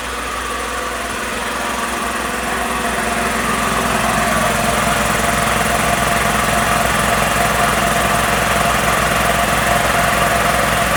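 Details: Magna Force air compressor after repairs, switched on at the breaker to build pressure toward a 160 cutoff: steady motor and pump drone rising slightly in loudness as the tank fills, even pulsing beat, no stalling; running normally.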